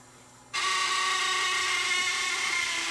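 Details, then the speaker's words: Sony DSR-11 DVCAM deck on full fast forward: shrill steady screech starts suddenly, holds one high pitch; fan ruled out, suspected bad bearing in transport, unconfirmed; owner reported noise in fast forward and rewind — high-pitched screech. "nope something is just screaming there a bearing or something's bad somewhere in there"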